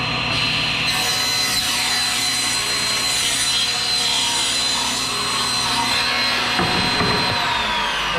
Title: Table Saw